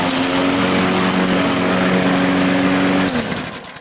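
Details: Trash-picked Craftsman lawn mower, after replacing a broken flywheel key on a no-start: steady, even drone at constant speed for three seconds, then clean shutdown; runs normally.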